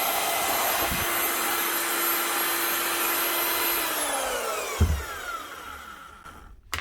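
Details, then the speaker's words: Marcrist DDM3 three-speed wet and dry diamond core drill after repair with new bearing and second-hand housing (seals gone, was growling): smooth even high whine, no growl, clean wind-down; normal motor run. "one Marist DDM 3 wet and dry cordal fixed up again with a new bearing and a second hand housing because the seals were gone"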